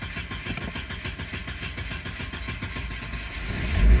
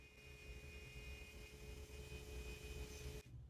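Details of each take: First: Volvo 740 with a warm-start problem for about a year, cranking long when warm (15 minutes to two hours after running), fine hot or cold; starter churns about four seconds before catching and revving; fault is the injectors. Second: Volvo 740 with a hot-start fault, main fuel pump under the car run via a jumper wire: thin steady hum at constant pitch, then clean cutoff. Pump works normally; injectors were later found to be the fault.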